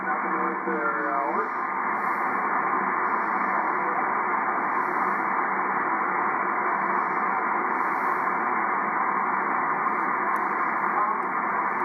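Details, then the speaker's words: Drake R4C receiver, early model with 6HS6 mixer tubes, eBay find, tuned to 20 meters; switches bad, not yet cleaned. Steady band-limited hiss with faint signals, no crackle or dropouts; the receiver works and receives normally. "anyway yeah it does work i hope i don't ruin it cleaning it but i'm gonna clean this thing like crazy"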